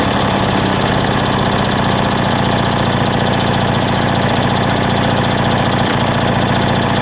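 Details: Lawn mower two-stroke just reassembled with a homemade big-end bearing shell: fast buzz that never settles, uneven beats; owner hears a leak somewhere, cause not confirmed; erratic running.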